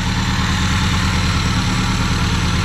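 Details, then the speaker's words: Vectra parked for 10 years, finally running: a steady, even low idle with no misfire or stumble; normal idle. "O galera vó fiquei feliz agora o motorzão funcionou bom"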